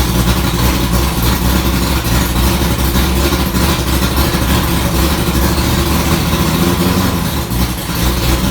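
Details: 1965 Ford Falcon race car V8 just after first start following rewiring: deep lumpy idle, even steady beat, no knocks or ticks; burning-dust smoke only, engine healthy.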